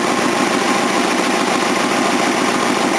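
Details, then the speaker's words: Old Datsun car, about 42 years old, after valve work, warm after a test drive: even idle with steady light hum, a little noise and small exhaust leak; sounds like new. "running. A little bit of a noise, but nothing major. Got a bit of exhaust leak down that needs to fix. Oh, that just sounds sick. It sounds like new."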